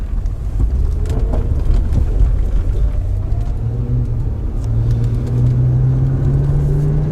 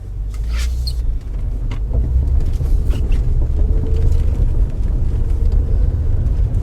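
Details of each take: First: 2005 Acura TL driven on a bumpy road: low road rumble with scattered dull knocks, owner says from the right front; suspension clunk over bumps. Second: 2005 Acura TL test drive after replacing a destroyed engine mount blamed for a noise the owner believed was suspension: steady low road rumble at cruise, no clunks or knocks over bumps; noise gone, normal road noise.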